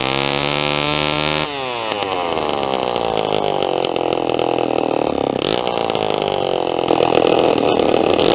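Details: Vintage Homelite XP1020 two-stroke chainsaw, carb sat a long time, fuel line replaced: revs drop from a high scream then hunt unevenly, running rough; owner thinks it's not air but the carburetor needs a kit.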